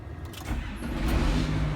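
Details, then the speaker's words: John Deere 8420 tractor after rebuilding the selective control valves (SCV), which had kept signalling the hydraulic pump on in neutral: the engine fires right up with no drag, a steady building rumble, and starts freely, so the problem seems fixed. "oh fired right up it wasn't one bit draggy so that seems to fix the problem"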